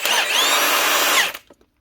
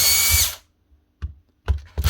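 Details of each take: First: Milwaukee M18 ONEFHIWF12 1/2-inch impact wrench, after fitting a new rear bearing plate to cure its rattle and growl: high, even whir for about a second and a quarter, then a clean spin-down with no grinding or rattle; sounds healthy. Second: Two short bursts of high, steady whine with no run-up from a Milwaukee M18 impact wrench (ONEFHIWF12 / 2863) whose motor is seized; hoped to be a failed rear bearing; fix is replacing the rear bearing cover.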